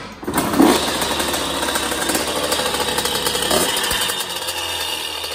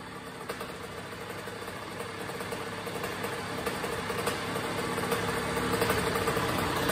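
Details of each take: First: 2001 Honda CR80 two-stroke running: light metallic rattle or knock over the raspy exhaust buzz, caused by a loose motor and exhaust pipe, possibly after a hard fall. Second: 2001 Honda CR80 two-stroke after fixing the loose motor and pipe that caused knocking, plus a tune-up: a low, steady, even idle with no knocking, lower than the previously too-high idle.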